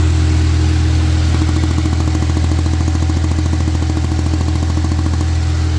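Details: FX idle, purge control valve from a 370Z being tested: steady idle hum with a sharp, even tick about three times a second; the purge valve sputters rather than flowing steadily, which the owner believes is abnormal.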